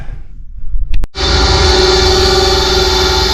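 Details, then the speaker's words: Old Ruud 80 furnace on a no-heat call, flame sensor just pulled and cleaned, fired up: a clunk, then a steady rough hum with a strained tonal whir; the inducer motor is noisy and the whole furnace in poor condition, gas valve also to check. "thing does not sound great guys um doesn't sound good at all I'm fired up um this whole furnace is not in the best condition"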